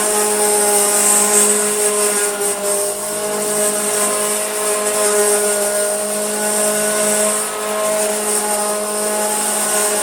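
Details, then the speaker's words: Hoover Junior Dirtsearcher 1354A vacuum as received: constant whining hum with rough buzzing edge following motor speed; the motor, not the brush roll, is vibrating and not turning straight, possibly from crud seen underneath. "Let's just check if that's the brush roll or the motor making that awful sound. It's the motor. It's really vibrating. In fact, if we let that stop, that's not turning straight."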